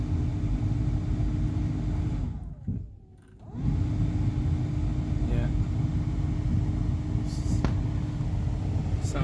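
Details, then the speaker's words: Newly replaced blower motor in a Dodge Durango (2004-2009) or Chrysler Aspen (2007-2009), first power-on. A smooth, even fan hum with a low airflow rumble and no ticking or scraping, faster than before. Healthy after the repair. "it's a lot faster than than before that's a good sign"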